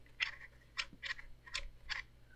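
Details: Monsgeek M1 keyboard rotary knob turned: four short dry scraping strokes, one per turn, as the knob rubs the inside of the case.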